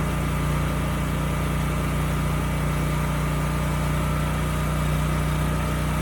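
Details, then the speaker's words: Used generator (model HU40500G) after installing a new generator head: smooth steady engine drone, no misses or surging; normal running with good power output. "okay good the engine sounds good and the power output is also good"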